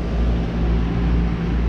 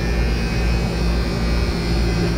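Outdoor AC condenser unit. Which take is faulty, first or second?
second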